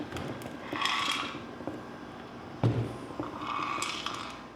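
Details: John Deere Z520A zero-turn mower after complete engine failure, turned slowly by hand with parts stripped off: rough ratcheting grinds and creaks on each sweep, suggesting internal damage before the housing is opened.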